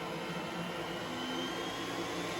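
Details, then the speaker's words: iRobot Roomba S9+ after software update 3.12.8: a steady whirring motor hum with an even tone. The rollers are now engaged after earlier not spinning, and suction is increasing as it should. "and it's increasing suction like it should"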